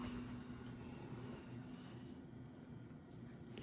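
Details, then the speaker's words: Early-1980s CEC-made Moss Heirloom Olympus 52-inch ceiling fan at full high, about 165 RPM, off variable speed: low even hum, faint buzz, no knocks or rubbing; quieted down, bearings in good shape, normal run. "which as you can hear quieted down quite a bit right here. We're doing around 165 RPM. Bearings on the fan are still in good shape."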